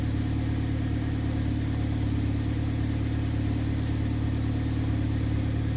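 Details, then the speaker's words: Idle at the exhaust after replacing the exhaust camshaft position sensor (code P0014, limp mode, P0973/P0976 solenoid low-voltage codes) and resetting the computer: smooth, even low rumble, rough idle gone, check engine light off; normal idle. "no that rough idling went away in the check engine light no come back on"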